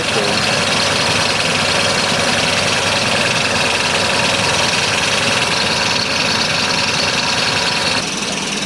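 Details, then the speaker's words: Toyota 4Runner V8 at idle: a thin, steady high whine rides over the engine hiss. It seems louder toward the bottom of the vehicle, but the source is still unknown. "I'm gonna start it up here in a minute and it's making this funny whining sound I'm gonna try to figure out what it's coming from"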